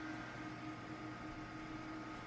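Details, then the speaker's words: Custom 2.8GHz Celeron D PC after reseating the processor, VGA on graphics card: steady low hum with faint high whine of spinning hard drive and fan; powers up but no display and no beep codes (no beep speaker on board). "I hear the hard drive going, but I don't have any display."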